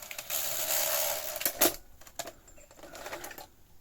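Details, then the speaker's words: Sony SL-F1 Betamax (NTSC) with a not-lacing fault, after readjusting a maladjusted switch: whirring motor run ends in irregular plastic clicks and clatter as unlacing finishes and lacing begins; noisy lacing mechanism, cause unconfirmed. "Yeah, I'm just wondering what that noise is as it sort of reaches the end of the unlace um and starts lacing."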